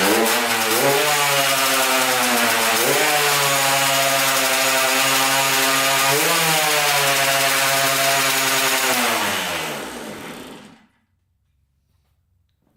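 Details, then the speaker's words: 1994 Honda CR80 two-stroke, after a carburetor clean, on premix fuel with the choke on: high buzz holds, surges twice, then winds down and cuts out; it runs out of fuel, and bad gas is then drained out. "out of gas let's pour a little bit more down there and try again"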